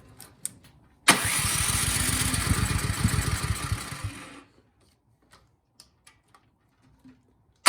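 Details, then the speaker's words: Cub Cadet 528 SWE snowblower after carburetor service, shroud off: engine catches, runs rough and uneven about three seconds, then dies; valve adjustment or spark plug suspected, carburetor likely not the issue. "because it tries to start it sputters and then it just dies"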